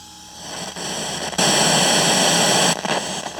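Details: 1969 Concord F400 portable stereo cassette recorder, after belt replacement, playing with volume wide open: loud steady hiss on one channel, swelling with volume; suspected noisy germanium transistor.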